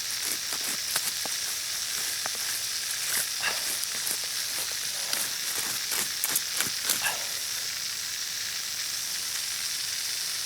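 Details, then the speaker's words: Drip irrigation line under water pressure: steady high hiss with spattering crackle at even strength; water escaping from what sounds like two leaks, locations not yet found. "It sounds like I'm hearing two leaks, and I'm not sure where they're at."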